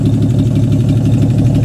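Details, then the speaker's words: 1951 Hudson Hornet with an AMC 199 engine, running after reassembly: loud, steady low idle with an even beat and no knocks or misses; alternator function uncertain; normal idle. "So it's running good."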